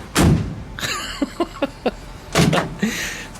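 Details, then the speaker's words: 1956 chop-top VW Beetle rear quarter panel, deadened with Killamat-type padding scraps, knocked: four short dull thuds that die instantly with no ring, panel well deadened; floors not yet done. "Well, this is all now deadened in the door. I'm deadened up in here."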